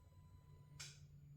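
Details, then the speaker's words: N47 diesel with standalone wiring for a Jeep XJ swap: a faint hum in a quiet bay, then one crisp click as the main relay drops out after a delay of around 15–30 seconds, showing the wiring works. "There it goes. it just clicked back off. Okay, so that is the DDE turning everything on and off."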